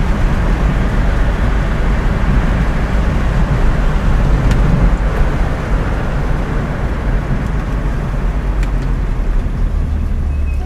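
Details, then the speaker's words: Datsun 280Z with automatic transmission, driven about 8,000 miles since a junkyard rescue, cruising on the road. Steady low engine drone under road noise with no knocks; mechanically running well despite heavy rust. "as you can hear mechanically it works pretty good it's just all the rust in it"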